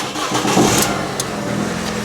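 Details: Recovered stolen car, first start after new ignition and swapped key transponders: fuel pump primes, a brief crank catches quickly and the petrol engine settles into a steady, even idle; normal start, airbag light on.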